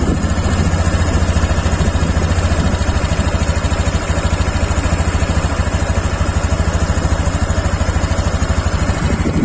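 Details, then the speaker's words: Honda Beat Deluxe 2023 scooter after eight months of use, idling: quick, even putter with no knocks, misses or rattles and fairly quiet valve noise; healthy engine ticking over smoothly. "Ini masih halus, posisi stasioner. Suara klepnya juga nggak terlalu kendu amat sih untuk suara klepnya."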